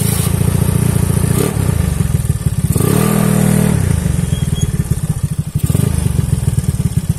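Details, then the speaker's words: Honda Beat carbureted 130 scooter, used daily without maintenance and not ridden for a year, pulling uphill: harsh running with a rattly ticking clatter and light smoke; worn piston rings are suspected and a teardown is considered. "ada bunyi kletek kletek kletek gitu [Musik] no kedengeran kan suaranya itu udah kasar bener lah"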